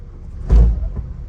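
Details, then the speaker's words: 2004 Honda CR-V shifted from reverse into drive with gas pressed: single heavy deep clunk over low idle, car jerking; worn engine and transmission mounts, right side worn, both being replaced. "but when I put it into drive and when I press gas you're going to hear the clunk"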